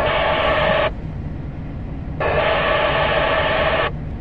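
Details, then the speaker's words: Midland MXT575 remote-mounted mobile radio with squelch at 9: loud hiss bursts about a second and a half open and shut repeatedly with no voice and no S-meter rise; radio breaks its own squelch, worse than when it only did so cold. "Now I've got the squelch on this turned all the way up. It's up to 9, so it's breaking its own squelch. But you don't see any SS numbers going up"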